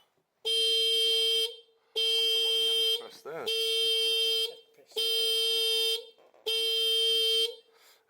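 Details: 2007 Piaggio MP3 scooter that no longer starts: five steady high-pitched beeps, each about a second long with short gaps, the scooter's alarm going off while trying to crank it.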